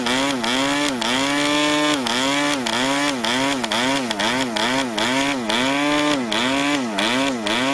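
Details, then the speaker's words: New PAW 40 TBR model diesel on its first break-in run, recommended break-in fuel, 12x5 prop on a vibrating clamp mount: buzzy pitch wobbling up and down about twice a second, never settling; running rich and under-compressed. "oh that was rich and under compressed so i can see if i can fire it up again like that"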